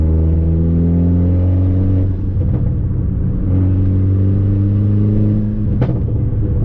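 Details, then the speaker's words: Fiat Abarth with a Forge blow-off valve and a check engine light: engine pulls sluggishly under boost with a loud rushing leak, also heard on gear shifts; the leak bleeds boost so it never reaches target. "but as soon as i get into booze you hear a massive leak like it's just spraying here all over the freaking engine man like listen"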